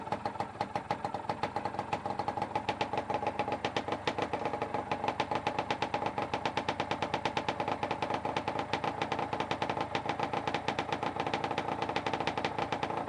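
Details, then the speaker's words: Two-stroke engine after a rebuild, first start after three kicks: crisp rapid firing pops at a steady idle with a light whirring behind, whirring judged normal bearing noise; runs cleanly and evenly. "That noise, that whirling noise, normal. Bearing working, isn't it?"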